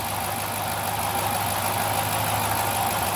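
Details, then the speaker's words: 2008 Dodge Charger at idle, steady metallic grinding, gurgling whir with injector ticking; owner suspects the timing chain tensioner, a belt pulley or the water pump. "you can hear the kind of grinding gurgling metal metallic noise you can also hear the injectors pulsing that tick tick tick tick tick but that grinding noise is not normal"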